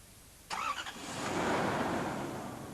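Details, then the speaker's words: Toyota TCCS engine started with the airflow meter disconnected (failsafe): a quick crank, then it catches and runs steadily. It dies when the meter is reconnected, and a shorted airflow meter circuit is suspected. "However, when we reconnect the airflow meter, the engine dies. This means there may be a malfunction in the airflow meter."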